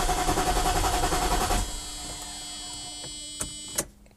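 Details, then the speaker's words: Mercedes-Benz R129 SL500, not registered or driven since 2014, cranking: starter spins the engine with a steady churning beat but it never catches; owner suspects a dead fuel pump, thinks it's getting spark, untested. Crank no start. "it doesn't really even try to like start I think it's like a dead fuel pump for sure it sounds like it's getting spark"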